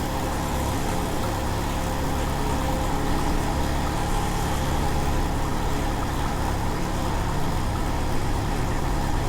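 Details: 1993 Jeep Wrangler YJ 2.5L, sat over a year, timing found about 15 degrees off; low, lumpy, loping idle running rough and too slow. Owner suspects a vacuum leak or exhaust leak.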